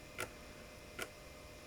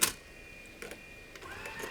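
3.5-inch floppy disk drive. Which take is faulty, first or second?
first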